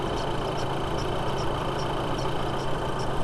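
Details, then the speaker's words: 2008 VW Passat B6 2.0T at idle after serpentine belt replacement: a faint high chirp about twice a second, slower than the belt pulleys. It seems to come from the timing belt, suspected rather than confirmed. "there's a bit of that noise it might actually be coming from the timing belt yeah that's coming from timing belt it's a lot slower it's a slower rhythmic noise than these pulleys are"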